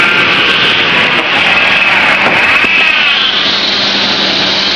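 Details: Ford Ranger serpentine belt slipping: high, piercing squeal with chirps that rises and wavers as the engine revs; belt conditioner dressing rubbed on top and bottom of the belt is suggested as the fix.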